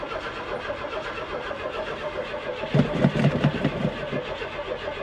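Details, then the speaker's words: 1991 Lexus LS400 auction car with broken 4WD/frame, on a jump booster pack with a poor ground; sluggish, uneven cranking about two and a half turns per second dragging down and never firing; booster pack too weak. "sounds like it's dragging down that booster pack pretty [Music] quick yeah I think we're just going to kill the booster pack guys"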